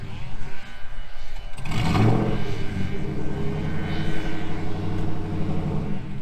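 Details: 2000 GMC Sierra 5.3 V8 with Texas Speed Stage 3 truck cam (.550/.550, 216/220, 112 LSA) on factory tune: lumpy, hunting idle sags when shifted into gear, needing throttle to stay running. Owner's own tune fixes the stalling.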